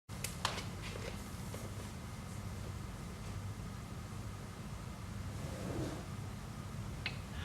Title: iRobot Roomba makes clicking noise while charging #2